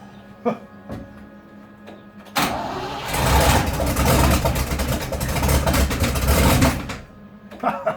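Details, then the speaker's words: 1972 Range Rover A-suffix project, tight engine, new battery near 12 V, started on a start-and-charge booster: after a few seconds of cranking it catches into a loud, rough, chuffing rumble rising with revs. Exhaust not sealing. "This sounds like a World War II aircraft. This exhaust isn't sealing though."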